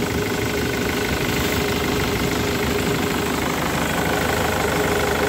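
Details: Ford Mondeo diesel with Delphi injectors after injector repair, idling while injector return flow is measured (about 3 ml in 30 seconds): steady idle with even clatter, no stumble or misfire; engine has smoothed out, normal idle.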